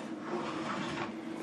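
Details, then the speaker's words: Vintage late-1940s–early-1950s swivel TV table: steady dry rubbing with thin squeaky chirps as the top turns on its corner metal rollers, which are dry and need oil. "hoping if I loosen up that screw and take the top off so I get some oil in there because as you can hear it's very squeaky"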